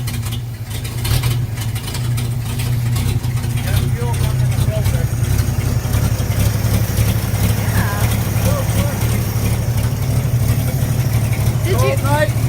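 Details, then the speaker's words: 1950 Chevy coupe, cold start with choke opened slightly: low, steady, even idle with no misses or knocks; normal idle. "Did you move the choke? Yeah, see how I opened it just a little bit? Oh yeah, she sounds good now."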